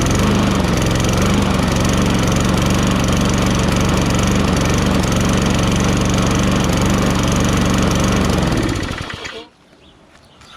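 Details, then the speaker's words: Toro Recycler 22" mower, Tecumseh 6.5HP, restarted with air filter refitted: pulses at a slightly uneven beat about nine seconds then sags and dies, sputtering; owner thinks it has no gas or the gas is really dirty. "Sputtering a little because it has no gas, or the gas is really dirty."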